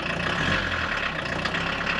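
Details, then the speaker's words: VW Rabbit revived after 26+ years, idling: small petrol engine with an even steady hum, no tapping or stumbling; oil light flickers at idle and goes off with throttle, owner suspects a weak oil pressure sender. "the oil sender's on its way out and this thing's running good oil sender's probably a little weak at idle"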